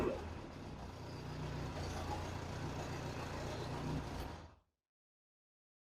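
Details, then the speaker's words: Austin-Healey Bugeye Sprite idling after a near-straight-pipe muffler was swapped for a cheap replacement muffler: even, muted idle rumble with no rasp or drone for four seconds, then shut off; noticeably quieter, a healthy, well-silenced exhaust. "let's see if that makes a difference in the sound we'll start it back up noticeably quieter"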